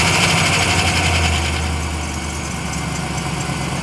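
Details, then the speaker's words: Truck needing a new starter, before starter replacement: sluggish, dragging crank under four turns a second, struggling before catching; slow cranking. "yeah, as you just heard, that it's super low crank. Sometimes when I come out of work, it like does it like 3 or 4 times sometimes."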